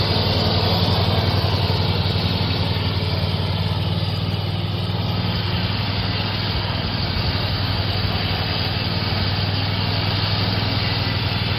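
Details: Hustler Raptor zero-turn mower (2017, five seasons' use) running after jumping the solenoid to start it: steady, even low drone at constant speed, no knocks, misses or surging; running normally.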